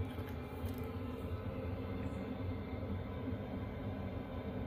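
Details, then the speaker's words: Chinese diesel heater in a box heating a tent trailer from about 0 °C outside, 20 minutes running full bore, target set to 15 °C, interior near 15.7 °C: steady low rumbling roar with even, unbroken combustion note, no surging or popping; normal running at full output. "we're at 20 minutes it's been going full bore the whole time"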